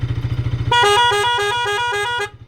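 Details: Pulsar RS200 with 7M Wind Tone horn after rewiring: clear loud two-note tones alternating in a repeating pattern over idling engine, cycling normal, slow and fast modes; horn working properly.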